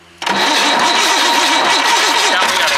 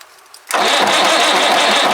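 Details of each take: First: White Super Power truck with Perkins 6/354 diesel, unrun for many years: starter grinds with a wavering churn for about two seconds, then catches and settles into a steady even diesel run; normal start. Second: White Super Power truck with Perkins 6/354 diesel, not run for many years: starter spins it over at steady, even churn about a second and a half but never catches; fuel bleeding suspected needed, not confirmed; cranks but will not start.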